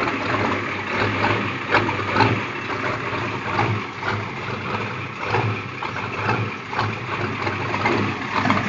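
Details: Diesel 6.9 in a Scout idles rough, lumping and surging unevenly with constant blue-haze smoke after glow plug replacement and starter cleaning; filters flow freely, so owner suspects a problem after the injection pump. Cause unconfirmed.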